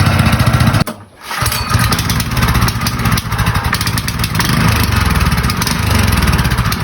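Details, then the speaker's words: Skate unused for 5 years would not run because of a clogged carburetor; after the carburetor was cleaned, it cuts out briefly, catches, then settles into a steady, even, fast pulse with no misses. "Pagkatapos nga itong malinis, thank you Lord dahil umandar na. Grabe malit na. Umandar na."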